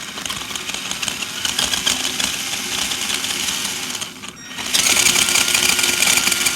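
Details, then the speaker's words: Axial SCX10 Dingo RC crawler: small electric drivetrain whir with a fast uneven chatter, three to four knocks a second; axle chatter despite driveshafts aligned to the manual's tabs; advised fix is aligning the coupler pins on both ends. "There's a tab on the other side, and they're both aligned, but I still get this axle chatter."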